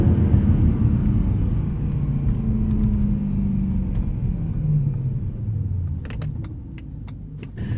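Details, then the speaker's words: BMW E92 M3 V8 warmed up to temperature after rod bearing replacement: deep, even rumble rising and falling smoothly with revs, no knocking or ticking; engine alive and running healthy. "As you can see, the car is alive and well after the rod bearing job, and I'm pretty happy that it's been done."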